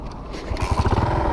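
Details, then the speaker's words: Shineray 49cc moped after replacing hub bushings: small engine picks up into lumpy, uneven low chugging with rough beat; strange motor noise, owner suspects clutch, cause unconfirmed. "só que rapaziada moto tá maior estranha tá fazendo o maior barulho motor rapaz vou tá mostrando"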